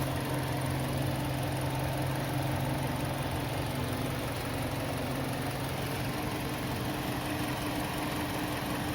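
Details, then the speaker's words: Kia Sportage 2.0 G4KD engine after piston-slap repair, first start after reassembly: smooth even idle with soft steady hum, no piston knock. "стук поршней не слышно работает Ровно шуршит"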